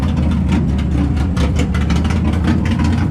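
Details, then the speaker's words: Subaru finally running after a no-start, ECU autotuning the fuel map: steady low idle with a slight unevenness, sounding like a big cam; holds idle but not yet running its best. "I finally got it to idle, so it's sitting here sounding like it's got a massive cam."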